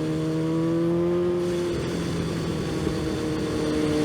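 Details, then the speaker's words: Yamaha FZ1 riding after maintenance on its 2-year-old spark plugs; steady, even engine tone under wind rush, no surge or break-up, running clean after earlier surge and power-loss problem. "man thing just gets up and goes i mean it did before but you have to be on the right to actually understand what i feel i'm feeling right now"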